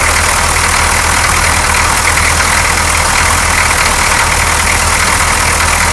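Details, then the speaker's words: 6.2L diesel truck with a previous rough-idle and dying problem, the morning after a clear fuel line was fitted from the fuel filter to the injection pump: it starts easily and gives a steady, even idle with barely any air bubbles. The owner suspects the old tube was the cause. "I don't see any air bubbles saw maybe one very small one but it didn't die so maybe that tube was the problem"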